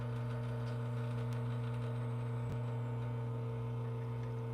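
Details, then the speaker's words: Lelit Bianca espresso machine during a shot with flow control: constant loud low hum with steady buzz; owner suspects the rotary pump or motor, still brewing fine; loud pump hum. "it makes still okay the yes my machine is loud all right but still works fine it makes great coffee let's put it that way"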